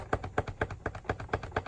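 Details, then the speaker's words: All-plastic outdoor utility vehicle: light hollow plastic clacks from a loose air box lid with play in its locking groove. Owner plans to add foam to the track to stop the rattle. "you can hear it rattling there's play this is where it locks in right here and there's play in that groove"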